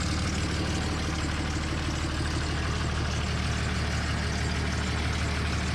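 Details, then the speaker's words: 2003 Dodge Ram 5.9 Cummins diesel idling right after HY35W turbo replacement: steady idle with a sharp puffing tick at firing rate over the clatter, exhaust escaping from a small unplugged manifold hole that needs a plug. "I gotta get a plug for that manifold there it's actually quite loud with that little bit of an exhaust leak"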